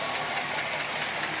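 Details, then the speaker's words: 2008 Chevy Express 6.0L V8 at 312,000 miles with low oil pressure, idling after a motor flush and fresh synthetic-blend oil change; light fast ticking over a hissy note persists, believed on driver's side; lifter tick, possibly a broken lifter. "you can still hear that tick you can really hear it over here"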